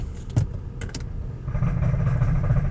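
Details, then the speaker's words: 2008 Honda Odyssey, about 170,000 on the clock: quiet at idle, then a heavy, rough grinding drone as soon as it's put in gear, and the van won't move. Cause is a broken front CV axle joint with broken balls. "put a note roast and make a noise put a parking terrible noise"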